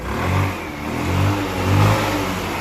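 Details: Wolf EX-150 scooter, GY6 157QMJ 150cc four-stroke, after hard-start repair: small single-cylinder engine rises and falls through three clean rev swells and settles back without stumbling; runs smooth and healthy.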